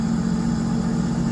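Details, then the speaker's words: 2010 Sea-Doo RXT 260 with SBT rebuilt engine, airbox off, after carbon seal and jet pump repairs: steady, even, quiet low hum at idle with no knocks or misses; normal idle. "okay so she fires right up really smooth and really quiet we've got the airbox off of it so we'll be able to hear the supercharger engage"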